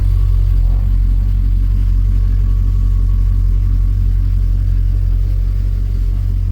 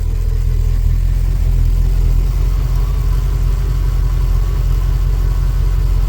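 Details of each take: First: Ford BA Fairmont V8, first cold start after a timing chain repair: a heavy, rough low rumble at idle, louder than ever before; owner suspects oil not yet pumped or a bad chain, and a restart sounded better. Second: Ford BA Fairmont V8 at first start after timing chain replacement: smooth, even idle with a steady low rumble and none of the previous continuous ticking or rubbing from the front; sounds healthy.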